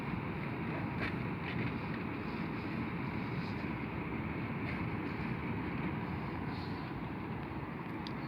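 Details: Samsung Virus Doctor air conditioner indoor unit after a sponge was fitted to stop its vibration: a steady, even rush of fan air with no rattle or buzz.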